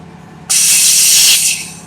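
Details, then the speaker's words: Trailer tire inflation system (trailer R68) fed by secondary air line from shop compressor via tee on trailer supply, valve closed, system bled then air added: sharp steady hiss about a second, tapering off; normal inflation air flow. "hook up our air line to it we close this valve here we can bleed a system and then we add air to it"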